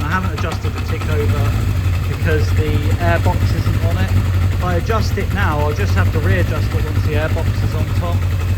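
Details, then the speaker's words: Kawasaki Zephyr 750 four-cylinder at cold tick-over after coil pack replacement, carbs rebuilt. Steady, low, even idle on all four cylinders with no misfire or stumble; the replacement coil pack fixed it. "Sounds chipper. It's a little bit cold, so I'm not going to do anything crazy."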